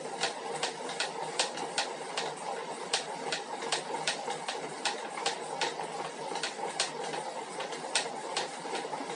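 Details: 2021 Elite Suito bike trainer: sharp knocks, about two to three a second, tapping unevenly over the steady whir during use; said to be a problem fixed in 2021 models.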